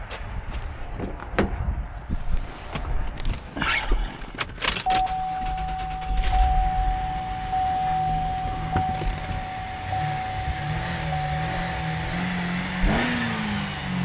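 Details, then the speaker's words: Used SUV at auction with a power liftgate and heated seats, no stored codes: door clunks, then the engine catches and idles evenly under a chime before a clean rev rises and settles; engine sounds healthy. "Alright, motor sounds good."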